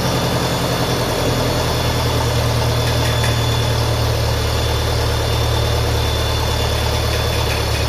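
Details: 1957 Ferguson FE35 TVO tractor at idle after a retightening: steady low thrum with a constant thin high whistle. Owner suspects an air leak.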